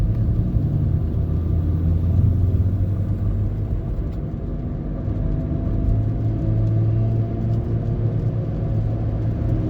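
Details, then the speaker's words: Saturn Vue 3.5L V6 AWD (Honda J35) driving: hum starts around 25 mph, louder over 40, briefly louder off throttle, seems from front, absent in neutral/park, began after long trip, no steering vibration; worn wheel bearing. "Just when you're driving. So limit it down to that. And when it gets to around 25 miles an hour, it starts coming on, and then gets progressively louder."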